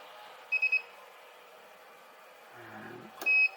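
Three quick high beeps, then a quiet pause and one longer beep: the spot welder signalling normally as it recharges between welds.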